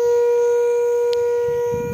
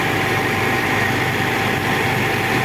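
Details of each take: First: Old Caterpillar unit, overheated, at the radiator blowing hot air: steady horn-like hoot like a ship's horn, holding one mid pitch as pressure escapes; overheating radiator whistle that fades as it cools. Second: Old Caterpillar heavy diesel after overheating, with radiator water topped up: constant, even rumble with no surging or straining; dashboard red overheat light no longer blinks, back to normal idle.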